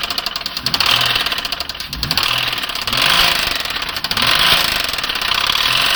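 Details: 2009 Nissan Maxima with a bad motor: loud, uneven engine knocking, roughly forty-odd per minute, hammering through the engine note as it revs; a knock from inside the failing engine.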